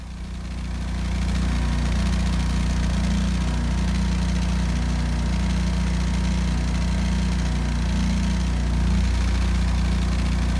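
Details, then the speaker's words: 12kW backup generator after exhaust repair: even, steady low hum with no puffing, ticking or uneven beat; runs smooth, significantly quieter, repair successful. "The microphone on my camera might not allow your ears to hear the significant reduction in decibel volume, but believe me, it was significantly quieter."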